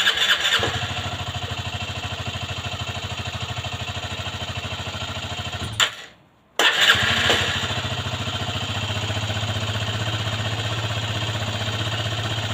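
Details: Aprilia Leonardo 125 scooter after a long time unused: fast even chugging of the starter, a short pause, then more cranking with no catch; prolonged cranking, no start.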